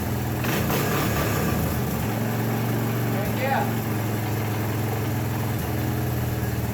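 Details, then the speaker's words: 1984 Honda ATC 200ES Big Red after a top-end rebuild and valve adjustment, idle turned down: a steady low thumping idle with an even beat and no ticking or clatter; the earlier worrying noises are gone. "victory turn that idle down a little bit dizzy fixed it great so we'll call that a victory uh actually sounds much better than it did in there um everything sounds as it should all noises are gone"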